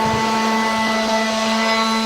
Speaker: the xbox leaf blower somehow started on its own it must have hit something in here